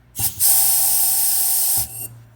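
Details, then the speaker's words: New turbo wastegate bench-tested off the car; sharp steady hiss of air escaping from the top cap for about a second and a half when the port is covered, valve drops back. Leak across the diaphragm, would cause uncontrolled boost and a boost leak. "so you hear all that air you can hear it when I put my finger over it that is air escaping out of the top of the bathroom"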